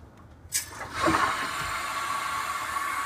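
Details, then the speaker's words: Water heater filling after opening the supply valve, just after installing a Watts 500800 hot water recirculation pump: sudden gush as the valve opens, then a steady hiss of water rushing through the pipes; normal water flow while filling. "And we can hear the water start to fill up the hot water heater, and hopefully when we go inside, the hot water is going to be running from the hot water faucet."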